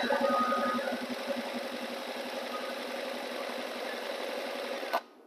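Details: Stihl 4180-series four-stroke 4-Mix engine spun over by hand after setting the ignition module air gap: a quick, even buzzing spin, about four beats a second, then stops. Normal cranking, and it produced good hot spark.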